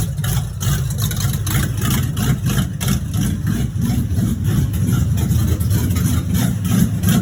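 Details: 1986 Chevrolet Monte Carlo SS V8 at idle, running about 3–4 minutes, with a lumpy idle and a heavy rapping knock at roughly three per second. Driven about three days with a bottom-end knock. Rod knock.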